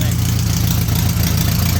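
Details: 1931 Excelsior Henderson KJ four-cylinder motorcycle, first start in over 50 years: steady low even putter at idle with no misses or knocks. Normal idle.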